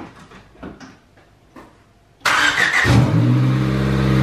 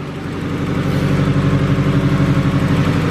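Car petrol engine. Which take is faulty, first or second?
second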